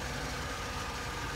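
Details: 2008 Vauxhall Corsa D petrol after replacing a faulty heater blower motor with intermittent speed: steady, even rush of air with a faint constant hum, no surging or dropouts; new motor draws about 20 A versus 24 A; normal operation.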